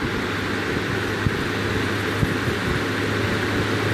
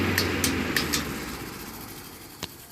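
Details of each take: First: Serviced vintage 15-inch Lasko floor fan with a loose blade hub and retweaked blades, running at 117 V on high, then low: steady hum and even air rush with minimal vibration. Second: Vintage 15-inch Lasko floor fan, repainted, loose blade hub, before servicing: motor coasting down with scratchy ticks slowing and fading, a final scrape and quick stop from a scraping bearing; motor noisy and off balance with wobbling blades.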